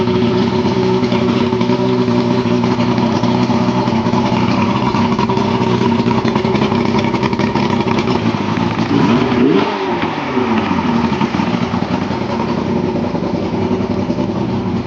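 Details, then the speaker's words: Yamaha 115hp two-stroke outboard with choke flaps, started after its oil injection was bypassed: it runs strong and even, climbs smoothly when revved and settles back without stumbling or knocking, a healthy normal run. "That's a pretty good running Yamaha there. I don't know why I got to rev them up, but uh makes me happy."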